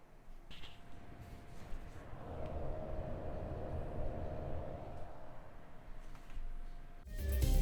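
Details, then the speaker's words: DeepCool N2 notebook cooler, quiet on the desk but noisy when lifted: a steady hum with a faint scraping drone, the fan catching a loose piece of plastic found hidden close to the rotor. "There was an extra noise inside, so I had to open it, and I found this piece of plastic which was hidden exactly there, close to the rotor."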